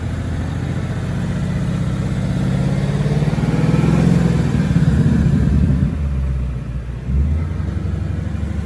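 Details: 2018+ Mustang GT V8 after the owner's tick fix, idling and revved lightly: deep, even burble rising smoothly and settling back, with no ticking at any rpm where it used to grow louder; normal idle.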